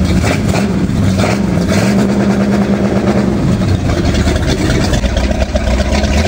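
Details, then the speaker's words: GM HEI engine with MSD Soft Touch rev control set at 3,000 rpm: held just under 3,000 rpm, pulsing steadily as the limiter cuts spark; working normally. "a little note is you're going to see on the tachometer that's it's going to limit a little bit before 3,000"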